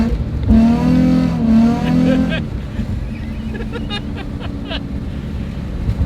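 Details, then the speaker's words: Stock Nissan 350Z while driving: engine revs flare up and sag under throttle, but the car doesn't go any faster and no power reaches the wheels. Slipping clutch. "you hear how the car is just revving up but it's not going any faster so yeah that's a slipping clutch it almost sounds like the car is breaking traction but instead it's just spinning the clutch"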